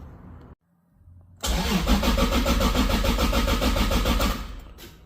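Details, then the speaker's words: Toyota Supra MkIV (JZA80) on an ECU Masters EMU Black base map: steady starter churning about three and a half turns a second, dying away without firing; crank no start, flex fuel sensor fault suspected, possibly out of fuel. "so there's an issue with the flex fuel sensor while we're cranking so we're going to have to look into that and see what's going on here"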